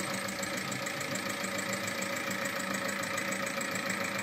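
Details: Seat Altea 1.9 TDI 105 hp diesel at 175,000 km, idling with a steady, fairly regular knock about three to four times a second, from internal engine damage caused by using 10W-40 oil, more viscous than the manufacturer recommends.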